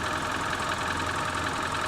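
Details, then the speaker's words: Wrecked luxury car at idle: steady engine with a light, fast, even tick on top, the ordinary clatter of direct injection that almost sounds like a rattling engine; nothing wrong. "it almost sounds like a rattling engine doesn't it a that direct injection sounds a little yeah"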